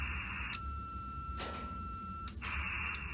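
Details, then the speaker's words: Clansman 320 radio with an automatic antenna change-over box: crisp clicks as the relay switches to the transmit antenna on each press of the PTT, under a faint tuning tone. The change-over is working properly. "I'll do it again so you can hear the little relay ticking in and clicking out"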